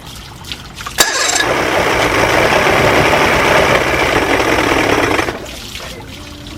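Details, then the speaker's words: Outboard after new water pump install, in water bucket, telltale flowing, oil mix very rich: catches abruptly, runs buzzy and uneven four seconds then quits; rough running, cause unconfirmed. "Of course it's not running like it should. However, this does mean that I installed the water pump correctly. It does mean that this engine can be a running engine."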